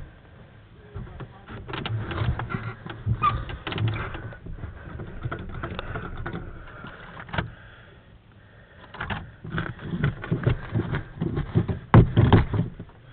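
Repeated bursts of starter cranking with uneven churning and pauses between tries, but the engine never catches; cranks without starting.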